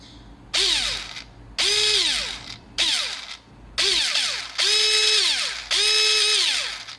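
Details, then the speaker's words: Guarder AKM airsoft rifle, version 3 gearbox with JG MOSFET: five clean bursts of rising then falling motor whine with no grinding; gearbox cycles smoothly, still breaking in. "So as you can hear there, you can hear it doesn't have that grinding sound anymore. It can be a lot more quiet, but I'm going to let this break in naturally."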